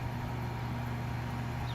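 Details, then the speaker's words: 2002 Lennox Elite series 3 or 3.5 ton AC outdoor condenser running, microphone near unit: low steady hum with soft even fan whoosh, no rattles or buzzing; remarkably quiet, normal operation. "you can hear the noise from the fan and this is by far one of the quietest units i've ever seen"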